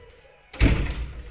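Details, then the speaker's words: Heavy front house door swinging after its hinges were sprayed: only a dull thud and low rumble, no squeak at all, where heavy doors usually squeak loudly. "Ha biasa kalau pintu-pintu yang jenis besar-besar tu lagi kuat bunyi. Kau tengok pintu depan aku ni. Ha ni pun aku dah spray. Dia pintu ni berat tau. Biasanya akan bunyinya. Tengok ah. Langsung tak ada bunyi"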